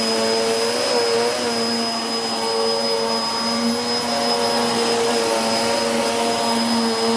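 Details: 2013 Hoover Whirlwind Pet WHS2102 001 2100W bagless upright on carpet, belt refitted: steady high motor whine with a busy, slightly rough tone from the aggressive brush roll. Loud, but normal, healthy operation that raises the pile nicely.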